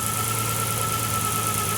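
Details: GT-R-engined Nissan 240Z idles steady and even with a smooth low hum and a faint constant high tone; no knock, tick or squeal stands out, a front belt noise judged not worrying.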